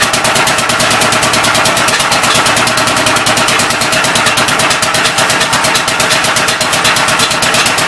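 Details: Old engine on first start attempt with temporary ignition, fuel fed by hand: fast sharp exhaust chatter with hissy puffing on each beat, running unevenly; owner suspects a leaking intake valve and plans to pull the head and lap valves.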